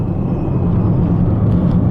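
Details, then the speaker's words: 2006 Chevrolet Trailblazer driving at road speed: deep constant rumble from the front over tyre noise, worse when turning one way; owner suspects front wheel bearing, not confirmed. "now i do have a noise up front sounds like the wheel bearing you can probably hear that rumbling"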